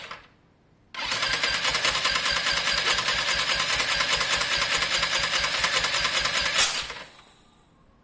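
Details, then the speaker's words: Lexmoto Diablo 125cc moped during checks on a newly bought bike; small revs give an uneven high-pitched putter with an occasional pop back through the intake; owner suspects someone tampered with the valves, possibly just fouling, not confirmed. "the oil's around there was a weird backspit there here's my concern someone's had that cap off and messed with the valves that's my concern a backspin like that could be valves"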